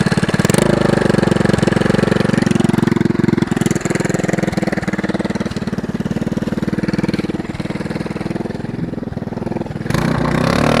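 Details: Go-kart (Yerf-Dog) small single-cylinder engine at idle before the homemade brake-cleaner-can muffler is fitted: harsh, loud rapid popping with raw crackle from an open pipe, no silencer; judged too loud.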